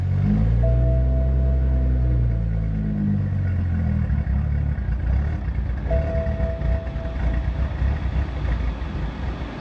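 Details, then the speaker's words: BMW 335i with fuel pump power cut: engine runs, then the note sags and turns rough and uneven as it bogs and stalls from fuel starvation, deliberately releasing fuel pressure before fuel pressure regulator install. "There we go. Finally died, so just go ahead, cut it, take out the key, you're good to go."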